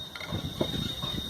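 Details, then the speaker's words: Truck 24250 in gear, noise when lifting off the accelerator: uneven metallic clunks as the cardan yoke is rocked by hand. This shows excessive crown-and-pinion (differential) play, where preload should exist; probably a worn large bearing. "Tira o pé do acelerador ó vendo e aí você vai lá no cardã mexe na folga a folga tá grande provavelmente um rolamento desse aqui esse maior por exemplo deve ter pro pau"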